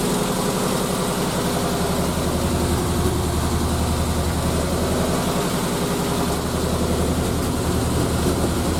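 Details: Triumph Spitfire first start after head gasket replacement, valve lash checked and carbs refitted: engine catches and holds a steady, even idle at about 220 beats a minute; no knocks or misses stand out.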